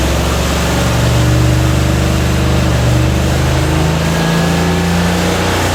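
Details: 1945 Cadillac flathead V8 with rebuilt 1945 Hydra-matic transmission from an M24 Chaffee tank, no-load bench test at roughly 2600 rpm; steady drone, pitch steps down cleanly on upshift, no flare or clunk, slight hesitation as clutches and bands apply.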